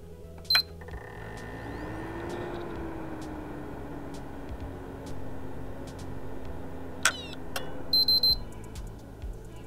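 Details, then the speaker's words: PlayStation 3 that powers off after seconds, microphone close to the console: power-on beep, low fan and drive hum for about seven seconds, then a triple beep and it cuts out with the hard drive stopping abruptly. Owner suspects the power supply's 12 V rail is failing. "so as you could hopefully hear it does start up but what happens I can hear I don't know whether is the power supply given up and I don't know whether it could be the electronics just complaining and and it's actually the unit is switching everything off"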